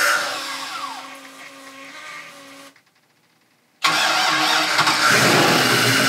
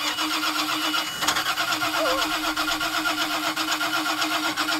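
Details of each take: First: 2000 Mariah boat 7.4 L 454 MPI MerCruiser V8 after hydrolock, new spark plugs fitted: cranking fades, short pause, then fires and holds a strong steady run, no knock or stumble. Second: 2000 Mariah boat with a 7.4 L (454 ci) MPI MerCruiser that hydrolocked after overheating to about 250°F: the starter cranks steadily with uneven rhythm and a single sharp pop, but the engine never catches. Crank, no start after hydrolock.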